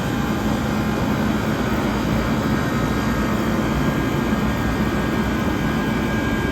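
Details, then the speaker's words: 1978 Comfort-Aire Quietmaster 29,000 BTU air conditioner with a Tecumseh AH152HT031 compressor, running on a humid day, condenser largely blocked and not yet cleaned; switched back to low after a brief fan stall. Constant even roar with a faint steady hum, no rattles or cycling; sounds fantastic. "So we're going to go ahead and stall the fan out for a few seconds here so you can hear the compressor. This thing sounds absolutely fantastic."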